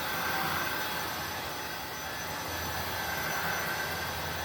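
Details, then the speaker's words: INSE V120 cordless stick vacuum in medium default mode, battery at 15% with red indicator: motor whine eases down in pitch as speed drops toward low by itself. "Now it just went down to 15%, and I have a red battery indicator. And you can also hear, yep, the speed's decreasing all the way down to low, I would imagine, all by itself."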